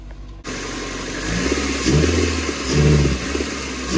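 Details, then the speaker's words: Geo/Chevy Metro with power loss and unburnt fuel smell at the exhaust, before replacing plugs, wires and coils; engine catches then revs unevenly with a lumpy labouring note; sounds and smells flooded, owner suspects ignition. "Sounds like it's being flooded. Smells like it's being flooded."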